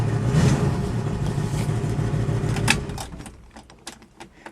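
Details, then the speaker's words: 1964.5 Mustang coupe with used 289 V8 replacing the blown original 260: uneven throbbing rumble and a clunk as revs drop, from a flex plate bent during the engine swap, with the car visibly shaking; needs flex plate replacement. "you can just kind of hear the flex plate on the deceleration but you can see how the car is shaking it's obviously it's vibrating cuz it's bent"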